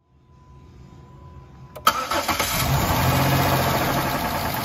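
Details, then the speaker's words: High-mileage 190,000-mile engine after adding Lucas Oil Stabilizer at an oil change: it cranks, catches, then idles with a fast light ticking. The owner reports lifter tick and a top-end knock at morning start-up that persists when warm; the cause is suspected, not confirmed. "the reason i'm wanting to use this now is because of the engine tick and the knock on the top of the motor when you start it up in the morning sometimes even when you warm it up that tick doesn't go away"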